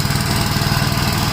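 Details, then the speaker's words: 1956 Gravely single-cylinder tractor that started first pull on full choke, with the PTO engaged running the mower: fast, even beat with no stumbles or speed dips and no oil leaks; earlier problem suspected to be a loose clutch lock nut on the horizontal shaft; normal running under load. "Okay, so it seems to be doing fine right now. Still no oil leaks, which is great."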